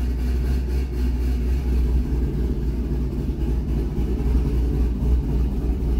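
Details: C6 Corvette V8 after camshaft and header swap, idle tune targeting 825 rpm: deep, lumpy loping idle about three and a half pulses a second, steady and settled; healthy cammed idle.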